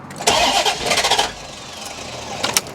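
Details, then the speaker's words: Barn-find C4 Corvette ZR1 after cam sensor testing and a spark plug gap change: starter whirs with brief ragged attempts that die at once. Cranks but won't fire; flooding/rich running or the plug gaps suspected. "ECU is all plugged in oh why is it not trying to fire at all no try it again"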